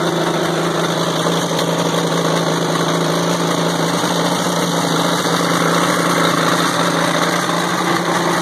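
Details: WWII-era Caterpillar RD4 bulldozer diesel, first start in 20 years after retrieval from a canyon, clutches seized; steady low even idle with no knocking or stumbling; normal idle.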